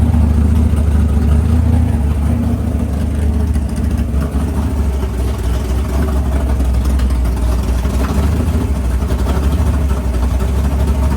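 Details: Freshly built 500ci big-block Mopar in a 1969 Barracuda, first start in the car: idle turned down to about 1100 rpm, deep uneven choppy lumpy-cam lope, steady and strong; normal healthy idle.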